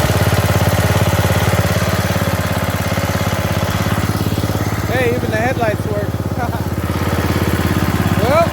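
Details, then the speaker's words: Bolens riding mower, single-cylinder, gravity-fed fuel with a screen filter, after new carburetor and new starter; the starter bendix still sometimes jams. Steady thump about 3.5 beats a second, even and unbroken; runs good, not smoking. "i would say that it runs good it sounds good it's not smoking"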